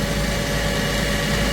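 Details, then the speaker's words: Hardi 363 sprayer pump after new bearings, spraying water to test: steady even whir with constant mid tone and no knocks or rumble; pump running smoothly, repair appears successful. "Smooth. Good. Working. So, that's good, too."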